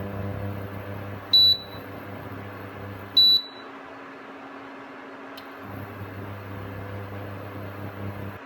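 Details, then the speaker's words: Aldi Ambiano single induction hob stepping down from maximum power: steady low electrical coil buzz, slightly quieter as power falls, over the fan running at full speed; two key beeps, then the buzz cuts out and returns as it cycles on and off. "So um maximum power come down and that buzzing noise is reduced in um intensity slightly."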